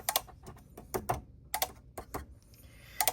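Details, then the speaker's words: GE refrigerator after fitting a second replacement control board: sharp, uneven relay clicks in pairs and bursts with no compressor hum; compressor not starting, board suspected faulty. "See that clicking? That means this board is messed up as well. It's not supposed to be making that noise."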